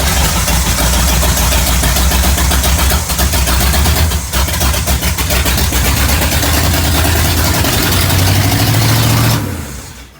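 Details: 1969 Pontiac GTO 400 with a 3-speed, sitting since 1978 and started for the first time in about 40 years, carburetor still needing a rebuild: a deep, lumpy V8 idle with a brief rev, then shutdown. It runs smoothly.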